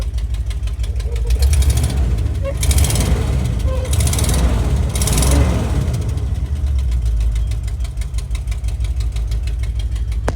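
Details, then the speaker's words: 1973 International Travelette crew cab, 392 V8, parked 30 years, started with a little choke: quick even ticking over deep lumpy idle, keeping pace with engine speed; exhaust leak tick. "it's got an exhaust tick you can hear that obviously"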